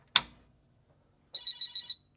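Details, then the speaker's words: Commodore PET 4032 computer after restoration and RAM repair, powered up outside test mode: click at switch-on, then a clean high chirp about half a second; normal power-on chirp, followed by cursor and full 32K memory. "So, we got the chirp. We know that was golden."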